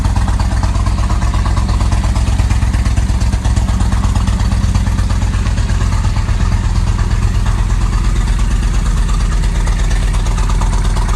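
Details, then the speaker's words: 1998 Kawasaki Vulcan 1500 Classic V-twin at steady idle after repair, with a new case bearing, needle bearing and jet kit. Even low thump with no knocks or rattles; engine running well. "all right quick update on the vulcan everything's back together working good now"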